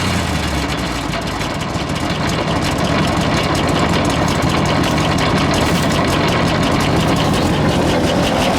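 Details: 1966 International ACCO truck petrol V8 with a 2-barrel Holley carburettor, started after sitting, possibly flooded: heavy V8 lopes unevenly at idle, poorly tuned, relying on the throttle pump to keep running; rough idle, cause suspected, not confirmed.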